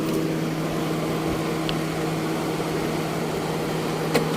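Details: Car that wouldn't start (no power from battery) after rewiring and battery swap: steady even idle hum, constant low tone, no misses or knocks; engine runs smoothly after the fix.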